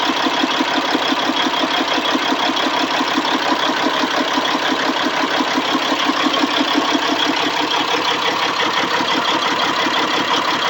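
Diesel idles with a fast pulsing beat, about three per second, that is slightly uneven; a rough idle, cause not clear.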